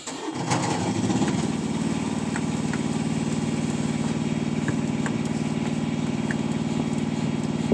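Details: 2018 Peterbilt 579 diesel, very hard start the day after the dealer replaced the priming pump assembly for a no fuel prime; short crank then uneven, lumpy idle with stumbles; air seen at the Davco filter, suspected fuel supply problem.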